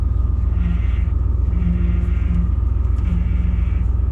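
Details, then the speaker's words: 1995 Ford F350 plow truck idling with a low humming whine in bursts as the steering is worked, the wheel hard to turn; failing power steering pump. "problem a power steering pump is you hear the whine but it's really it's hard to turn"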